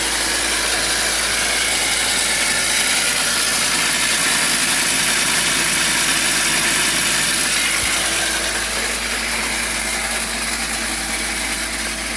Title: BMW E46 Screeching Noise from Engine Bay (M52) 323i